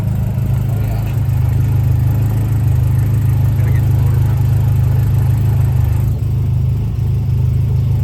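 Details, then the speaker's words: Nissan S13, just after a fuel upgrade with bigger injectors and a regulator: strong, even low rumble at about three beats a second with no hunting or stumbling; the car was likely starving for fuel before. Normal idle. "The idle already sounds different than before, too. I think this car was definitely starving for more fuel."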